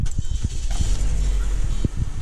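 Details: 2008 Pontiac G5 with Alcolock interlock breathalyzer in permanent lockout, blower bypassed: engine catches after a few uneven low thumps and settles into a steady, even idle; normal start.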